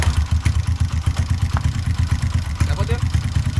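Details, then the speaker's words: Supra X 125 bored up to 200cc with PWK 32 carburetor, tuned lean for daily use, air screw at one turn: steady, even single-cylinder putter at low idle, no misses or surging; idle smooth and properly set. "nih semoga kedengaran ya Nah ini gua udah dapat langsamnya udah dapat settingan angin udah dapatirnya dapat langsamnya enak nih"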